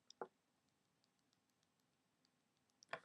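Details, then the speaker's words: iPhone 4 replacement unit: two faint, sharp clicks in a quiet room as a finger lightly brushes loose buttons, including the home button, without pressing them. "these two buttons they're loose you can actually very faintly hear them clicking but i'm not depressing them i'm just simply just brushing my finger on top"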